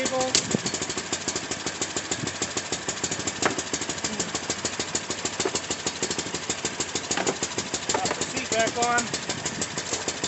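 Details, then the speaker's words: Baja WD250u ATV after carburetor cleaning for bad gas, started on jumper cables and warming up: small single-cylinder ticks over at a quick, fairly even patter with light clicks on top; it runs fine now. "so there she goes she runs"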